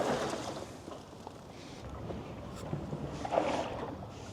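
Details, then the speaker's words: Roofnest Condor Overland rooftop tent after two years of use in rainy British Columbia: soft irregular sloshing as the multi-layered hard lid moves; water has leaked in and collected between the lid's layers; moisture also gathers on the tent floor. "Somewhere along the line, this has started leaking inside itself. I don't know if it's actually getting into the tent, but there is some moisture that continually accumulates inside on the floor of the tent. And I'll get to that in a few minutes. You can hear water sloshing around in this hard lid."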